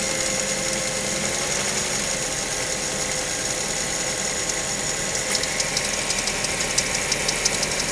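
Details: Mazda5 petrol engine after cold start: irregular rattly marble-like ticking about three a second, intermittent, fading after a few minutes; cause unknown, dealership found nothing.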